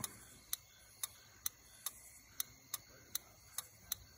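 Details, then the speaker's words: Relay bench test with jumpers from a battery across the control-circuit terminals, either polarity; sharp single clicks about two a second as the relay pulls in, control circuit working normally. "that means the control circuit itself is working and see if i flip it around it doesn't matter which way you hook it up you should still hear a click"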